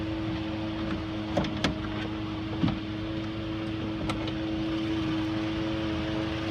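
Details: 2014 Ford F-150 with a thin steady mid-pitched whine over quiet running, with a few brief clicks and knocks; owner attributes the whine to the transmission. Cause suspected, not confirmed.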